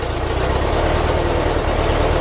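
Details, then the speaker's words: 1958 Porsche 356A T2 Normal Cabriolet air-cooled four-cylinder, cold idle just after electrical tune-up (points, plugs, timing, distributor cap refitted): steady, even low burble, no misses or knocks, all four cylinders hitting evenly; normal cold idle. "and smooth. Now the car's cold, of course, but what I'm listening for is an even hit on all the cylinders, and it sounds like it's hitting perfectly on all four cylinders."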